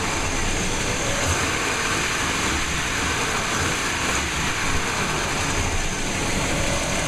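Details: 1998 5.7L 350 Vortec V8 after rebuild, run briefly before distributor timing is set; smoked from blow-by at first start but no longer smokes. Steady even idle rumble, no ticking, knocking or stumble; settles into healthy idle.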